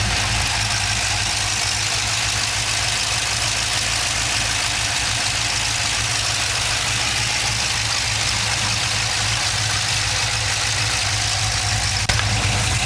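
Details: LS2 V8 at idle: an even idle with a quick, crisp ticking over a hissy top end. It sounds like a valvetrain-type tick, but the source is unconfirmed.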